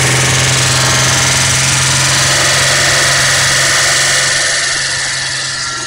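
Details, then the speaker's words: Holden six-cylinder with carburettor after new camshaft and lifters: loud busy engine holds a fast even idle, easing down slightly as it is adjusted back toward normal idle. High idle speed. "you want to fire it up again and see if I can adjust it back to an idle"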